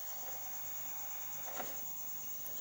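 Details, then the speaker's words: Radio powered on with indicator lamp lit, no station audio: steady high hiss with faint crackle underneath; receiver picks up only noise, attributed to broken antenna wire. "lampu indikator menyala ini pertanda bahwa listrik sudah masuk kita on terdengar suara ngeses ya"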